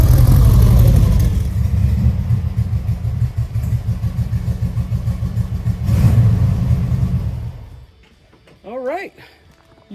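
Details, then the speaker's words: 1952 VW Split Zwitter bus with newly fitted 1904cc stroker engine (74mm crank, 90.5mm pistons, up from 1641cc), valve adjustment still pending: strong, even low beat settling into a steady idle with no misses or knocks; runs very smoothly, healthy. "Yeah, I'm gonna tell you, I'm not gonna say I've never, because I've felt it, but that engine is smooth. Oh my goodness, it's smooth."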